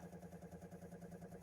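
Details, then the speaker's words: Espar Airtronic D2 diesel heater with new replacement blower motor, running: steady even fan hum with gentle pulse, no scraping or rattle; super quiet, old annoying noise gone. Normal blower fan running. "Once the heater gets up and running, we've got great heat. The fan is super quiet, no more annoying noise."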